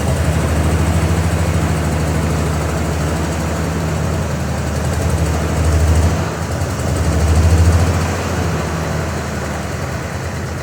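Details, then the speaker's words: Ford Bronco II engine with no exhaust fitted: low, uneven rumble that surges and sags every few seconds and can't hold idle; running rough, and the owner plans to check the distributor. "And then I'm also going to double check tomorrow the distributor because it's running like garbage, quite frankly."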